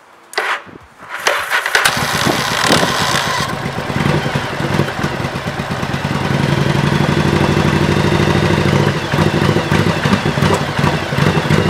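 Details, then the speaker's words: 1985 Yamaha Virago XV700 after fitting a voltage stabilizer to the ignition feed: short crank, catches within a second or two and settles to a steady, even idle, a big improvement over the earlier hard start; normal. "come on what an improvement the first one was you heard it it was like I just started to write"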